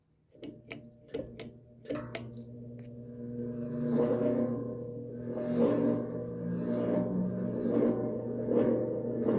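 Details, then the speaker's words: Sanyo/Dayton 56-inch industrial ceiling fan, worn bearings before replacement, started toward high speed: a few sharp clicks, then a loud motor whine that swells and pulses as it speeds up. "because I'd really like to get a chance to hear the motor on this without the bearing noise, because it has a really notable loud whine to it as it speeds up."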